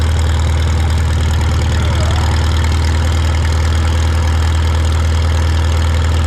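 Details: Shop tractor, either the John Deere 4020 or the Farmall Super M, just started with choke and throttle levers and driven outside. It holds a deep, steady low-pitched idle with an even pulse and no misses or knocks. Normal idle.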